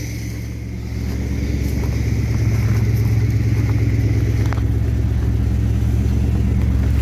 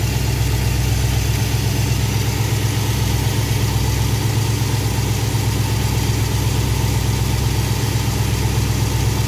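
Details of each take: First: Carbureted V8 with Thermoquad, idle mixture leaned slightly using vacuum gauge and idle raised: deep steady burble settling slightly faster, idle a touch high in park, owner may turn it down a hair. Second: V8 with Thermoquad carburetor after baseline idle mixture tuning, idle 970 rpm with good vacuum, timing rechecked about 18–19°; steady, even idle, smooth low rumble, no misses or knocks; mixture and timing sound properly set.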